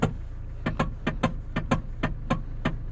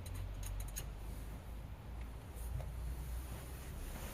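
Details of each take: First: Hyundai ix20 with EPS warning light on and long-standing steering column clunk: sharp light knocks, about three a second in uneven pairs, over a faint hum, from worn rubber coupler gear in the electric power steering column. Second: Hyundai ix20 idling after replacing the worn rubber gear in the electric power steering (EPS) coupler: steady low rumble with no clacking from the steering column; the steering clunk is gone.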